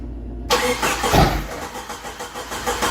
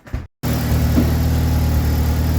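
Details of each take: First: 1988 Jeep YJ abandoned for years, restart attempt: catches with a burst, sputters unevenly and fades; runs only on starting spray in the throttle body, apparently no fuel coming up. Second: 1988 Jeep YJ revived after years abandoned, antifreeze in the radiator, just started to warm up: steady low idle with even rumble after a brief start-up cut, no knocks or squeals; charging and not too noisy, normal idle.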